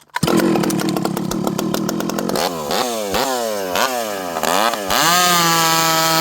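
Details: Stihl 064 chainsaw after a new carb, 25-inch bar, under cut with high jet at about 1 turn; crisp high scream bogs under each cut and snaps back to full revs, pulls hard; normal running under cut.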